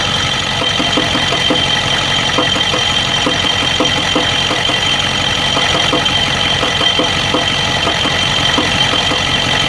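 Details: 1992 Ford 7.3 IDI diesel at idle: rough idle with uneven, irregular knocks, injector-like, and stumbles over hissy clatter, random misfire with intermittent blowby; teardown found second piston rings broken in half on two pistons and one bad valve guide.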